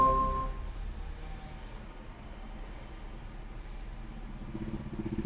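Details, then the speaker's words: Petrol 4-cylinder car idling after throttle body cleaning, air filter not yet refitted: steady, even low idle hum with no hunting, surging or misfire stumble; rpm strong and stable, normal idle after repair. "ఇప్పుడు నాకు RPM కూడా మంచి strong అనిపిస్తుంది."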